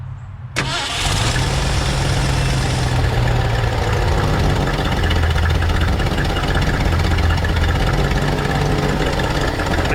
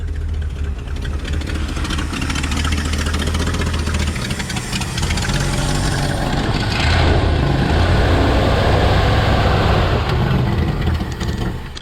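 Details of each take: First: 1968 Ford F100 pickup V8, carburetor just adjusted and thermostat just installed after poor acceleration on road test; short crank, catches cleanly and settles into steady even idle with no misses or knocks; normal start and idle. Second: 1968 Ford F100 V8 that wouldn't accelerate properly, after a slight timing change and raised idle; uneven, lumpy idle, brief rev and back down, still not settled; carburetor adjustment next, cause suspected not confirmed; rough idle.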